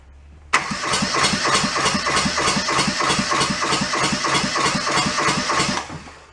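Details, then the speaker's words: Junked small Kubota diesel from a scrapyard: steady starter cranking about three compression beats a second for five seconds, never catches; fuel not yet drawn up to the injectors, bleeder to be cracked. "hopefully when I start seeing fuel get drawn up on that probably got to crack that bleeder on the other in them"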